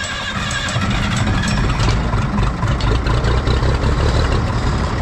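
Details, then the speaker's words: 1965 Minneapolis Moline G707 diesel tractor parked 13 years, primed with new diesel and bled to injector pump: catches within a second, steady low thumping idle, oil pressure up, nothing sounds funny; normal start and idle. "We got oil pressure over there. It is running. I love old diesel tractors."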